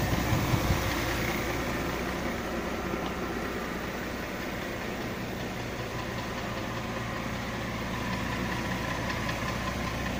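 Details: 2005 Mercedes ML350 idling with an uneven knocking, about two or three per second, under a low rumble; a newly appeared engine knock of unknown origin.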